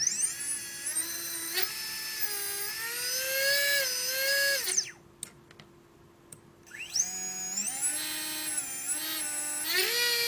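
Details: Readytosky 1804 drone motors vibration-tested after calibration. A shrill, buzzy whine revs with throttle, rough from low-quality bad bearings causing heavy vibration; magnets reportedly come loose.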